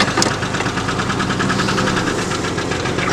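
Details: Red truck started after a long struggle, run in neutral at a grandmother's house: rough engine running with a fast, steady tapping knock riding over it throughout; slow to move, won't go into park; knock cause unknown.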